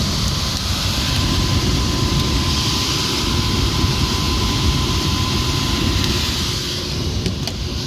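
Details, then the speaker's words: ERV blower after replacing loose, misaligned belts (motor draw 3.7 A, rated 4.5 A): steady blower roar with a light uneven rattle underneath from slight worn bearings; vibration to the office below much reduced but not gone. "You can hear it rattling still. It's not nearly as bad with the new belts and everything adjusted."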